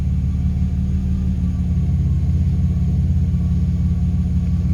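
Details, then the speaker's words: Vehicle after tune-up and vacuum leak fix (old PCV valve suspected), O2 sensors functioning: deep, even idle with no surging, dipping or ticking, holding steady; last code cleared. "so let's go that's what we want wanted holding steady not the joint jumping dipping anything like that"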